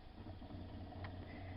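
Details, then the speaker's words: DC motor on test bench with transistor torque-control circuit, feedback from motor connected: low motor hum with soft pulsing about five times a second as current is corrected. Motor pulsing under torque control. "have the motor feeding back into the feedback circuit as we showed here and listen to the motor now as you can hear it it's got some pulsing sound to it"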